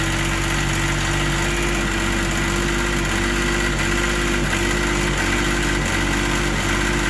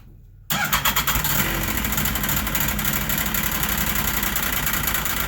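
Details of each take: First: Carbureted three-carb machine after storage, started with a gas-soaked rag over the intake: after about 20 seconds of struggling on dry carbs it picks up into a steady, even two-stroke note; normal running. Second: Carbureted snowmobile/ATV engine after storage, started with a gas-soaked rag draped over it: it fires almost at once, surges unevenly for about 20 seconds on fumes because the carburetors are dry, then settles to a fast buzzy idle.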